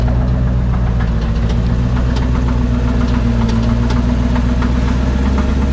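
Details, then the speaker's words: C4 Corvette, manual, driven hard, barely idles after an unknown injury: loud heavy idle with sharp knock tapping about four times a second; deep internal knock, cause unknown, no oil visible, sounds less bad with hood open. "I don't know that much about cars but that cannot be good I should say I don't know a lot about the mechanics of cars and how to fix them but that sounds terrible"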